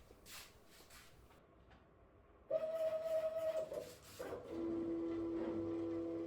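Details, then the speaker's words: Homemade CNC router with the Z-axis moving along the X axis: a steady, piercing squeal from the worn ball nut on the ball screw, which will no longer accept grease; ball nut squeal. "Uh you can hear a nasty squealing noise and that's actually the ball nut that travels on the ball screw. It has lost the ability to accept grease."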